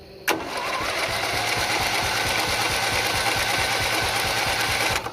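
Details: Old off-road race mower tractor with single-cylinder Briggs & Stratton Intek engine, on an external power source with choke removed: starter engages with a snap and spins the engine at a steady, quick chug for about five seconds, turning freely; normal cranking.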